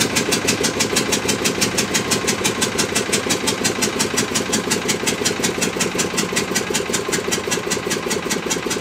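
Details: Witte single-cylinder diesel generator, run late 40s to late 70s then unstarted 45 years, fully warm after running all day before shutdown: steady even chuffing about three beats a second, no knocks or misses, running smoothly.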